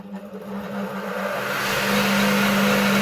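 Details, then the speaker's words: Old Dewalt flip-over saw, after the replacement capacitor was rewired correctly (it had hummed without running); the motor starts cleanly and spins up to a steady, even hum with no stalling; it runs as it should. "the table saw switch. That's her. Up and running again, like she should, start no problem."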